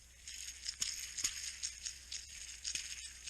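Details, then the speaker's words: 1977 Fiat X1/9 1300 Serie Speciale SOHC engine, timing belt job: old timing belt tensioner bearing spun by hand after removal gives a dry, gritty rattle with scattered ticks; worn, rough bearing replaced with new one. "The bore here is exactly the same, and good thing I changed it out, because it really does make some noise. I don't know if you can hear it."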